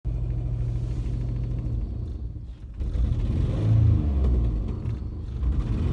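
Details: Jeep Liberty: very loud, deep, uneven rumble surging and sagging, engine lumpy with heavy shaking, smoke from somewhere, no metal-on-metal sound, dies at idle; owner wonders about misfire; rough running, cause not found.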